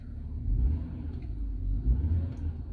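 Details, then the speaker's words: 2006 BMW 325xi E90 N52 after misfire repair (engine computer, crankshaft sensor previously replaced): quiet, low, even idle with no stumble or miss; problem fixed, car running good. "we already fixed the problem the car is running good we're waiting for the customer to take his car"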